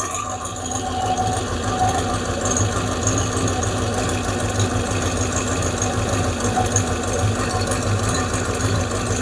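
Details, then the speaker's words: 5.7 Hemi V8 after the lifters were replaced: the lifter tick is gone, but a fast, uneven light ticking over a steady idle comes from one side; exhaust leak at the manifold, owner also suspects a small vacuum leak. "e to say the tick is gone. It's just I got an exhaust leak. That's what we're hearing now."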